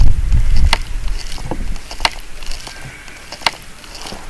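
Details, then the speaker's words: Libelle glider fin, microphone against fin side: irregular dry creaks each time fin top is pushed, known broken fin structure working inside. "right i can hear it creaking so we've got this we've got this microphone against the side here let's see if we can record the the creaking"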